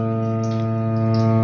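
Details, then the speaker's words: Samsung washer-dryer, switched off and unplugged: loud, steady low hum with a buzzing edge that shakes the whole machine; the water inlet valve is vibrating, and the noise stops when the machine is switched on again. "e a lavadora continua com barulho ela toda desligada tirei da tomada e ela continua com esse barulho é o barulho é tão alto galera que ó fica tremendo a lavadora"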